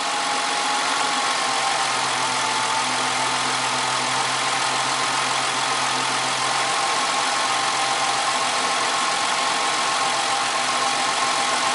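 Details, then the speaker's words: 1998 Ford Contour, 2.5L V6, 165,000 miles, code P0401 EGR flow insufficient: idle stays steady with no dip or stumble when vacuum opens the EGR valve; owner suspects a clogged EGR port. "It's not stumbling. I'm guessing that I might have a clogged EGR port."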